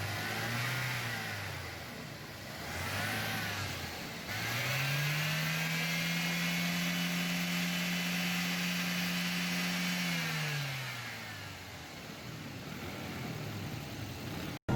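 Engine climbs smoothly through two quick blips and a long held rev, then drops back cleanly without stumbling or missing.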